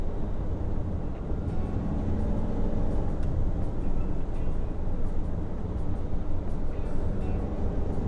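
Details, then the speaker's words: 2013 VW Tiguan 2.0 TSI automatic after fitting a wastegate actuator rod rattle clip, low boost code P0299: fourth-gear cruise around 3000 rpm with only wind and road roar; no turbo wastegate rattle, healthy. "upshifted yeah seems like it is definitely better i don't think i noticed it yeah all i can hear now is wind noise"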